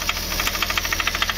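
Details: VW Polo 1.2 diesel at idle, engine previously rebuilt, arriving from another mechanic: sharp, evenly spaced clatter of about eight knocks a second, a hard diesel knock; a number-one injector nozzle is suspected before opening the head, not confirmed.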